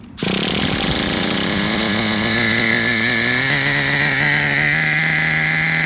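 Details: Traxxas Revo 3.3 nitro RC truck engine, retuned: high buzzy two-stroke note holds steady and even after start-up, brief rev at the end; healthy. Engine good; truck needs new transmission, spur gear missing teeth, starter motor and one-way bearing.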